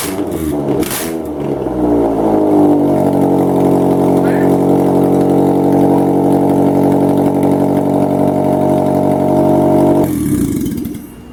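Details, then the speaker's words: Car #92 running with the exhaust manifold removed during manifold work: loud raw rasp climbs quickly then holds steady and even, exhausting straight out of the head ports. "what's the harm and see what it sounds like with no head or with another little manifold on"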